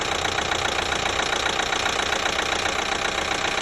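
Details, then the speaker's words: 2012 Chevy Equinox 2.4L with a new timing chain, warm idle: light sharp ticking about two and a half per second; sounds like the high-pressure fuel pump, but that pump is brand new, source unknown. "sounds like the high pressure fuel pump is making the noise but it's not it's actually a brand new pump"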